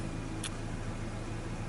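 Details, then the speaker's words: 1996 Ford Ranger 2.3 dual-plug four-cylinder, previously rough idle, stumble and no acceleration: after repair, low even idle rumble with steady beat, no stumbles or hunting; fuel trims slightly high, vacuum leaks still to be checked. "but this truck is running a hundred times better than it was before right now"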